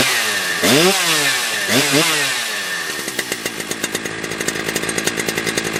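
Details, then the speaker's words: Husqvarna 3120XP chainsaw after a lean-condition carb fix with the high-speed limiter drilled out, at roughly 12,500–12,800 rpm. It screams at wide open throttle with a steady pitch and only a faint burble, running right. "Yeah, that's how it's supposed to sound, right? At wide open throttle, it's supposed to go, whoa, and it just has that ever so slightly with that limited high drilled out."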